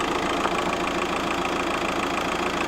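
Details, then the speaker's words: VW Golf GT TDI diesel after turbo replacement, no boost, no engine lights, intake refitted but noise remains: idle with a fast, even knocking rattle over a steady hum; abnormal knock, source not found. "Let me see if it's still making that horrible noise. Which it is."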